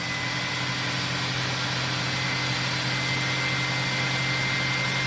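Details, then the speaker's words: 2006 SEBO Airbelt K2 vacuum during airflow and suction testing: loud constant rushing airflow with a steady spinning hum as the turbo brush turns freely; normal turbo brush operation. "You can hear the turbo brush spinning."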